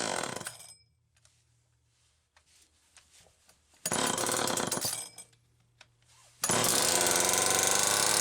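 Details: XL-2 two-stroke chainsaw after crankcase reseal: bursts to a high screaming rev and won't settle to a low idle; idle speed screw turned almost all the way in, and the wrong carburetor circuit plate gasket was also found.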